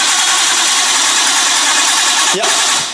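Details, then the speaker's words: Barn-find Nissan R32 Skyline, first crank without fuel to check the engine turns: steady even hiss of it turning over on the starter, then cutting off; motor spins freely and sounds healthy. "right now Cam's going to turn the motor over first just to make sure it'll Works before we actually run fuel so we're not going to run fuel right now give her a quick crank let's make sure it's all good"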